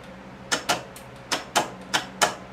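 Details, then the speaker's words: John Deere 318 repowered with a Honda engine, starter solenoid built into the starter; single sharp clicks, about six in under three seconds, no cranking, test light dims; solenoid gets low voltage, starter relay planned. "so it's not getting complete voltage there all the time so we're going to try to do that start a relay"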